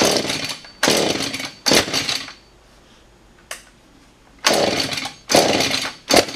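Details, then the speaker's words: Husqvarna 435 chainsaw after carb work, primed six times: fires in short ragged bursts that flare and die, never holding idle; poor running from non-genuine flywheel, suspect Chinese aftermarket coil and mistuned carb. "not looking good [Music] or is it I don't know Chinese aftermarket coil on here might be worth swapping that out to the uh one off the other saw like I said might work a little bit better and then after that found out that the flywheel that was on there at least appears to not be a genuine Husqvarna Park"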